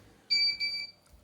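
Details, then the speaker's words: Cooler Master Aerogate II fan controller in a socket 462 retro PC running a benchmark demo: sharp high-pitched beeps in short bursts as the CPU reaches about 65 degrees, triggering the over-temperature alarm. "I'm just running this demo here in a 3dmark 2001 I think and uh doesn't seem to like 65 degrees I wonder if I can change that threshold yeah see it's going off now"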